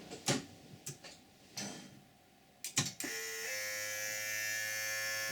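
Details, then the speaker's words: Land Rover Freelander DIY EV conversion powered on after repairs; clicks then steady high window motor whine as rear window lowers, normal on Freelander; runs smoothly without catch, vacuum pump then cuts in. "We'll hear the back window coming down, which is normal on Freelander."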